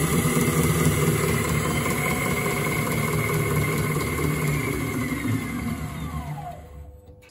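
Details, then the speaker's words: Miele Professional WS5073 sluice washing machine after replacing the 6202zz motor bearings: smooth, even spin hum with no grinding or rumble, then a clean wind-down. "sounds great much better five pound job foreign it's definitely working"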